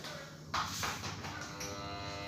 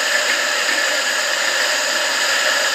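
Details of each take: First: Electric water pump motor, reassembled and plugged in, gives a loud steady buzzing hum with no spin-up, and the rotor locks. It is stalled because the armature/rotor is dirty. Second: Electric water pump motor after sanding and replacing the bearing to cure a humming no-spin fault: steady smooth high whir, no growl or stalling; running normally after repair.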